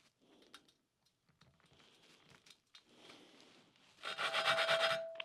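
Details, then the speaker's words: 1988 Suzuki GSX-R1100 cylinder head valve being lapped with compound and oil: gritty back-and-forth grinding, about three strokes a second, seat not yet mated, should smooth out as it seats. "some oil on the valve and it goes again you're going to hear the same sort of grinding sound and then it should smooth without"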